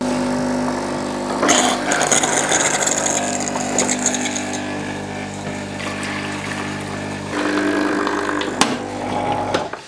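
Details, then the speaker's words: Delonghi ECP 3120 single-boiler espresso machine during descaling: steady pump buzz turns rough and sputtering with rattles and gurgles as the pump draws air from the emptied tank; switch off to avoid an airlock. "All right, once it starts making that sound, make sure to turn it off. You don't want to pull up too much air up into the system. You may get an airlock."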